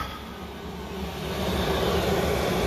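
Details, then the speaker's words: Chinese diesel air heater, running wide open at full output with all red bars lit: steady, even roar of combustion and fan that builds slightly then holds smooth, no knocks or stumbles, hot air coming out; normal running at full output. "this was cranking okay she's wide open now you see all the red bars"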